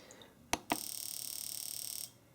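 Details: Fuel injector driven by AllSun EM276 injector tester, 50-pulse mode: rapid, perfectly even train of sharp clicks for just over a second, then stops; injector pulsing cleanly.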